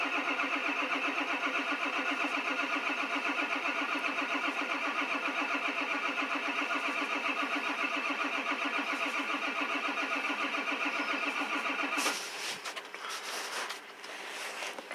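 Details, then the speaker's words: 1999 Ford Super Duty 7.3 diesel with a 1994.5 high-pressure oil pump installed, about 30 degrees outside, fresh stiff oil, weak starter and batteries, jumped from another truck: slow, laboured cranking at about three and a half turns a second, never fires. No start. "so I think my starter and my batteries are pretty weak that's why I have my other truck hooked up to it"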